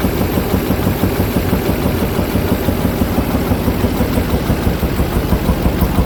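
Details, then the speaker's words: 2005 Duramax diesel just after head gasket job: sharp, fairly regular popping about three times a second at idle, popping back through the intake, louder on passenger side and in the air box, slight miss; valves suspected out of adjustment. "It's popping back through the intake, making some noises in the top end. So we're gonna go pull the valve covers and see if they're out of adjustment."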